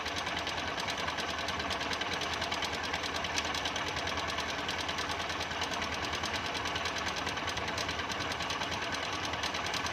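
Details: Engine running with a fast, busy ticking rattle, about three per second, over a light engine note. Chattering top end; a timing chain is suspected but not confirmed.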